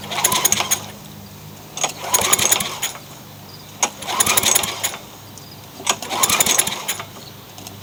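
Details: Craftsman mower with a swapped-in Yard Machines single-cylinder engine, freshly oiled and fuelled, with a weak primer: the revs swell and drop about every two seconds over a busy rattly buzz.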